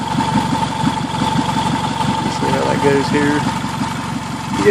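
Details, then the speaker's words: 2003 Toyota Camry first start after engine swap; fast, sharp ticking puffs keeping pace with idle from an exhaust leak at the bad flex coupler, engine itself quiet with no valve noise or knock. "the noise that you're hearing in the video is the leak at this at this blessed coupler right here this is all exhaust noise"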